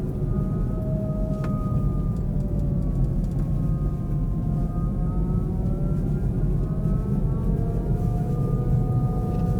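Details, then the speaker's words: Kia e-Niro EV driving at about -35°C in northern Finland, battery around -20°C: loud siren-like whine with several tones sliding with speed over road rumble, likened to an air raid siren; noisy drive motor whine. "oh did you hear that weird noise oh that motor's noisy as hell sounds like a world war two clarkson siren air raid siren"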